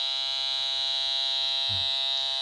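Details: Steady high-pitched buzz that never changes and ignores metal from a Pirate metal detector, even on battery instead of the power converter; the search coil was wound with too short a wire and needs rewinding, the converter is not at fault.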